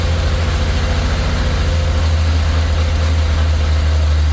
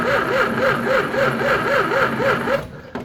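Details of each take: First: 1934 Chevy four-door sport sedan barn find, first start in 23 years: deep, steady low-pitched idle of the old six with an even beat, no knocks or misses; runs fantastic, normal healthy idle. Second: 1934 Chevy four-door sport sedan barn find, not run in 23 years: slow, even starter cranking at about four turns a second, engine never catches; no spark, so it cranks but won't start.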